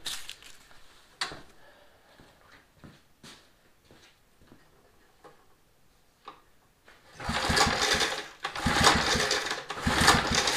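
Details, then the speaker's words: Mower, carburetor just refitted with new gasket, choke on: cranking clicks, then ragged bursts of firing that fade each time; fires a few times but won't keep running, carburetor removed again. "fired a few times but I wouldn't run so I got the carburetor back off of it"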